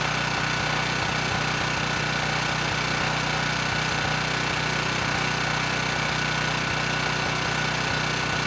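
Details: Ridgid 5700 W generator (RD905712), Yamaha MZ300 engine, dump find with 1500 hours; started first pull on a cold day, warming up before load: crisp regular firing pulses about four a second over smooth drone, no stumbles or rattles; normal running.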